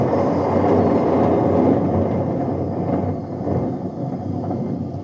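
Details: Bush A126Q washing machine on fast test spin: heavy low train-like rumble with no clean hum, worn drum bearings roaring under load.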